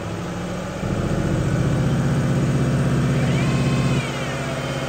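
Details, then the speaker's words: 2005 Ford Mustang 5-speed: engine revved from idle, thin whine over the engine note that changes speed as the clutch is slowly released, an internal transmission bearing (possibly input shaft), not the throw-out bearing. "Now, this is a transmission bearing noise for sure because if you push this clutch in and you slowly release it out, you'll hear the difference in speed of the bearing."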